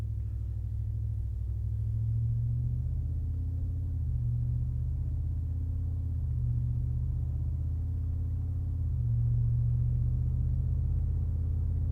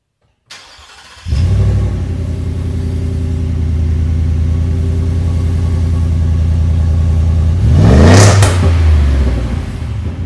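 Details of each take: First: 2022 Ford F-150 5.0L Coyote V8 with a Flowmaster Super HP2 muffler fitted, heard from inside the cab under gentle acceleration: a deep, even rumble that swells and eases, turning more aggressive as the gearshift drops rpm; a healthy exhaust note with no rattles. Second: 2022 Ford F-150 Lariat with the 5.0L Coyote V8, stock muffler removed: the engine fires into a loud, deep rumble and barks on a quick throttle blip, with the exhaust running open and no muffler fitted.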